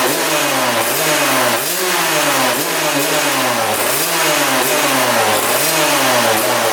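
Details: 1999 Suzuki RM80 two-stroke dirt bike that wouldn't restart: revs rise and fall in quick repeated blips about once a second, never settling, engine trying to die while revving; plug boot repositioned, then new spark plug made it run better.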